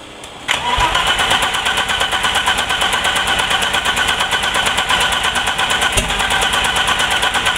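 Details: Turbo BMW E30 running extremely rich since 30 lb injectors were fitted, on a base turbo chip tune, new plugs, constant check-engine light: fires after a short crank, then a fast, uneven hunting idle that needs about 2000 rpm to keep running; fueling suspect.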